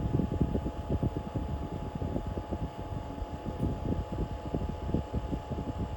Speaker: That means it stopped pumping fuel when that fuel pump symbol went out. And now it's in the cool down mode.